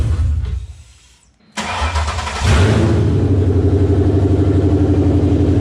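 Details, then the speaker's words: Coyote V8 swapped 2002 Mustang GT, first start attempt after fuel pump wiring troubleshooting; cranks briefly, catches, settles into steady even V8 idle with strong burble; cluster and gauges work: normal start and idle. "as you can see it's alive it fires the clusters work and all the gauges are work"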